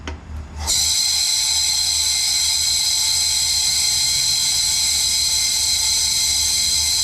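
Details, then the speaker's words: Engine leak-down test at 100 psi on all-motor drag car that lost over 10 mph: loud steady hiss of escaping air, very large loss on cylinder two, suspected bent intake valve. "Hear how loud that is? The air compressor is going to kick on. It's so much air being lost."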